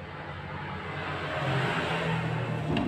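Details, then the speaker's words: Washing machine spin-dryer motor on the bench while identifying capacitor and running wires, clamp meter on 20 A scale: turns clockwise at about 0.8 A, hum climbs smoothly with no grinding or rattle; normal running. "ia berputar sebelah kanan dan di posisi tangan terkini menunjukkan 0,80 koma 1707"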